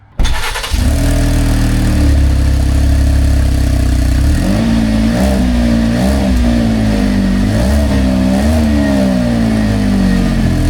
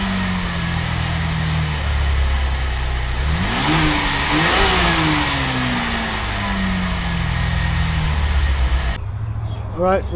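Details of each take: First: 2023 Chevy Traverse petrol engine starting and revving with a loud, deep, raspy exhaust note after driving over something; exhaust pipe separated from its bracket underneath, exhaust leak, repaired by rewelding. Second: 2023 Chevy Traverse after exhaust pipe rewelded and gaskets checked: engine catches and settles, clean rev rises and falls, exhaust tight with no puffing or ticking from a leak.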